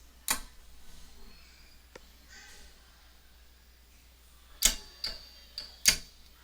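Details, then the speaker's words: Ameritec AM-48 transmission test set, powered on: a few sharp dry clicks a second or so apart as a relay drops in and out; draws about 1.8 to 2 amps and won't stay on, input power supply suspected. "issue it's draw about 1.8 amp and it just won't stay on now about 2 anyways"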